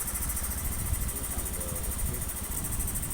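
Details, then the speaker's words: First-generation Honda Beat FI scooter that was hard to start and stalled when cold, after fitting a good injector: injector reads 2.6 ms at idle, the standard value; steady, even low idle with no stumble or hunting; healthy. "di angka 2 masih 2,6 dan langsam juga baik gitu loh"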